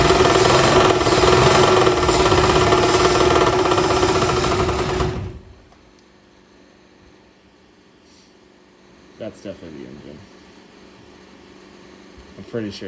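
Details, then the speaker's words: 1962 Ford Falcon with a freshly swapped replacement engine after the old one's rod knock, running rough: steady knock about four times a second, tinny and echoey, then it cuts out; suspected something hitting the oil pan, flywheel checked fine. "So, this engine's I mean, you heard the knocking sound, but it's very tingy and echoey. So, it sounds like it's something hitting the oil pan because it gets louder as the uh engine rotates."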